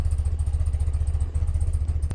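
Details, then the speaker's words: 1982 BMW R100RT boxer twin, cold start with choke pulled: low, even thumping idle with steady beat, no knocks or rattles; running smoothly on choke, normal. "so let's do that pretty impressive 1982 you can tell how well this thing is sorted and tuned"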